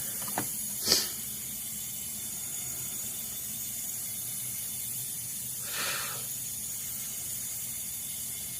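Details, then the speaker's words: Smoke test of vacuum system on 1986 Camaro (3rd gen) engine: thin steady hiss with short louder puffs, engine barely audible; air leaking, apparently from the hose hooked up for the test. "well we're leaking air right here"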